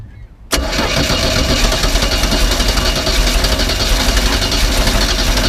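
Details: Neglected 1988 Four Winns 16' bowrider engine, first start attempt: it catches with a sudden bang and runs loud and rough only on fuel poured into the carb, so the fuel delivery problem remains.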